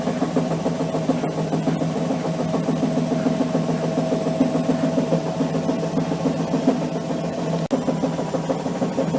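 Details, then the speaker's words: Amica washing machine on high-speed spin: a drone with hard, uneven thumping several times a second as the drum bangs around and the machine is unstable; damaged left shock absorber that has lost its damping, to be replaced. "tak jak widać kilka bardzo hałasuje widać tendencję do niestabilności jest z nią nie tak powodem takiego zachowania jest uszkodzony amortyzator po lewej stronie"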